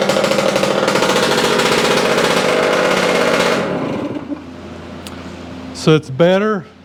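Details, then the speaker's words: Yamaha AT-2 MX 125 two-stroke with ignition trouble, won't rev past 2000 rpm, running a little rich, after rewiring with another CDI box and stator: crackles unevenly with ragged, irregular firing under throttle, then drops off; misfire and poor revving. "still not right we just move that"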